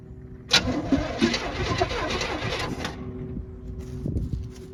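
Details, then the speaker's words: 1940 Chevy truck project with a free motor: starter spins the engine over at an even pace for a couple of seconds without catching; it turns freely and isn't seized, and the owner thinks it will fire right up. "did you hear that I heard it cranked right over will it start I think it'll fire right up"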